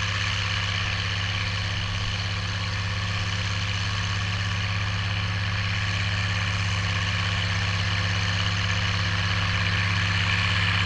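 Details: Oliver 1550 tractor, about 54 hp, pulling a JD BW disk 6–8 inches deep after fuel-system contamination cleared: deep, steady diesel drone holding an even pull with no surging, misses or hesitation; healthy running under load.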